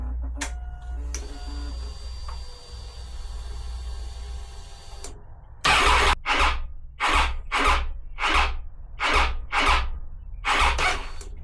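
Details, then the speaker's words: 2012 Triumph Tiger 800, 30,000 miles, with a starting problem: about a dozen slow, heavy starter groans in short bursts and the engine never catches. Owner suspects the battery and plans to order a new one; cause not confirmed. "Yeah, it still again feels like it might be battery related."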